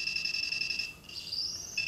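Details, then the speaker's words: Arduino Uno with RF433 MHz receiver module and buzzer for decoding remotes; shrill constant whistle near 3 kHz with overtone, briefly dropping out, from ambient 433 MHz radio pollution also seen on the oscilloscope — RF interference whistle. "donc ça ce sifflement strident qu'on entend en permanence c'est les signes on qu'on voyait très bien à l'oscilloscope c'est la pollution"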